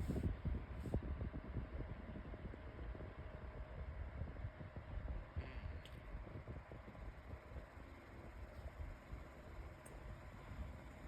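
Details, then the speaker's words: Better Homes and Gardens 8-inch metal table fan on low speed, still coming up to speed: uneven low rumble and faint scratchy ticking as bearing noise develops, said to be common. "and then bearing noise starts to um develop as you can hear. That's usually common."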